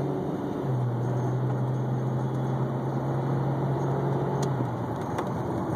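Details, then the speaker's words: BMW E46 automatic on a cold start, driving: engine hum surges as it pulls away, then dips abruptly, RPM dropping and jumping; jerky acceleration, later found to be automatic transmission fluid about 3 quarts low. "he accelerators you can hear it kind of dip and jump and go from accelerating smooth you know kind of dropping down in our PM's"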